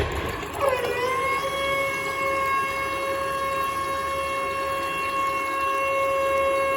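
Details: Public toilet tap running; water flow under a steady piercing single-pitch whistle, tap squeals while flowing, cause unknown.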